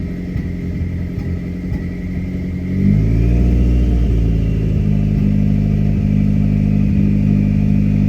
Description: You can clearly feel, hear and see a misfire while under a slight load.